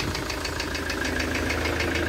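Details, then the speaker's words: Ford Transit campervan idling after sitting parked since about March 2020: light, fast, regular ticking about seven a second over a steady idle; engine ticking, owner first suspected an injector, cause unconfirmed. "So I'll show you this engine fault. See, it seems to be like a kind of ticking noise. I thought it was maybe an injector at first, but I'll let you hear it."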